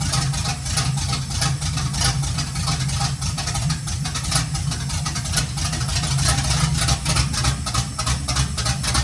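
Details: 1951 GMC five-window cab-over, first start, running only on sprayed starting fluid with no fuel reaching the carburetor and timing off: ragged, uneven chugging that never settles. Cause suspected, not confirmed.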